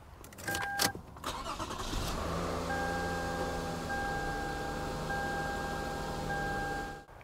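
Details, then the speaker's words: 2007 Toyota Avalon after spark plug replacement: brief crank catches quickly and settles into a smooth, even idle with no misfire or stumble; engine starts and runs healthy. "okay now that we know that it starts life is good"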